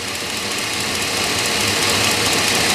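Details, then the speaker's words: 2001 GMC Yukon 4WD 5.3 L V8 idling with fast light ticking near the driver-side cylinder head, misfire on cylinder 6; coil boot shaking reveals a loose spark plug, which may damage cylinder head threads. "at the minimum we have a loose spark plug and i hope it hasn't been that way too long because it'll eventually damage the threads on the cylinder head"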